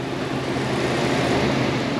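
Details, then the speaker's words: 2018 Cadillac Escalade ESV, 6.2L L86, 2WD, after replacing leaking liquid engine mounts: recheck for the engine-shaking complaint, shifted into Drive with foot on brake. Even, steady roar with no clunks or shudder; runs smooth and sits firmly on its mounts. "let's go ahead and fire it back up and see if we still have our our engine shaking condition"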